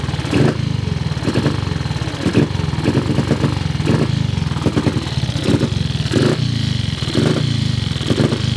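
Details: Cub single-cylinder motorcycle at start-up: uneven thumping surging about once a second, needs throttle to keep running; carburettor idle screw seems too short to raise the slide enough to idle.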